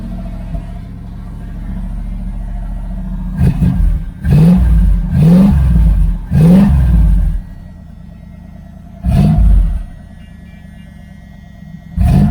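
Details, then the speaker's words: 1978 Dodge Aspen R/T, factory 360 four-barrel V8, newly installed exhaust ending near the doors with welding unfinished: deep, loud rumble booming on throttle blips; probably leaking up front. "So yeah, it's pretty loud."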